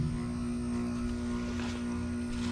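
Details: Wood-burning furnace with a newly replaced circulation pump, first switched on after checking for leaks: steady low hum with a clean, constant tone and no grinding or rattle; the pump is running smoothly.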